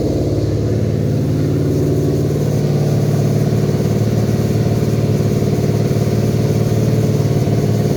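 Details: Toyota 2UZ non-VVT V8 on stand, new custom harness, ECU flashed for manual transmission with performance tune, first test run: strong, even rumble with steady low beat and clean revs, no knocks or misses; runs healthy.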